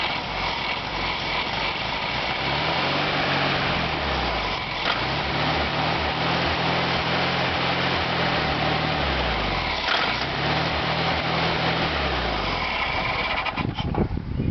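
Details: VW Beetle after correcting reversed fuel lines, run with starting fluid: revs rise and sag in repeated swells while held on throttle. It never settles and won't idle on its own.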